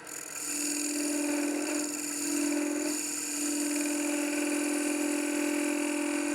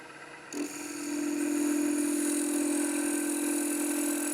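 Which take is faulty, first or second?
first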